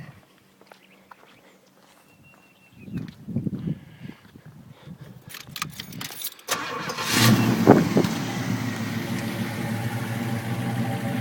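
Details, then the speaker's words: 1980 Pontiac Trans Am V8 with rebuilt carburetor and true dual exhaust, cold start: cranks, catches and holds a fast, steady high idle that won't drop without blipping the throttle; owner suspects a sticking choke. "when it starts up cold it idles high but it tends to not um come down you kind of have to hit the gas for it to come down so the choke might be sticking"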